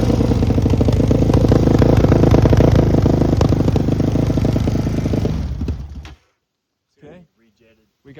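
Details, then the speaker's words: Yamaha Raptor 660 ATV, freshly rebuilt engine, smoking: loud rough single-cylinder run holding one speed, never climbing, then dying away; will not rev out, suspected safety switch or re-jetting problem. "like a safety switch or a re-jetting problem. Something's not letting it rev out."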